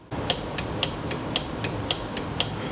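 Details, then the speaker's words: Quantum 4Front power chair, wheel rocked by hand: sharp high-pitched tinks about twice a second from the parking brake housing; loose brake parts rattling inside, before repair. "yeah there's things that are very loose in here"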